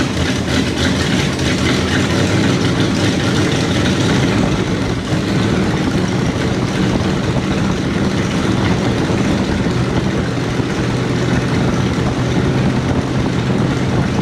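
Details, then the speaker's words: 1968 Jeep J3000 Gladiator after swapping in a used carburetor: loud, rough, uneven idle rumbling low with a hissy edge; owner suspects a massive vacuum leak, not confirmed. "I like I said I think it just sounds like a massive vacuum leak"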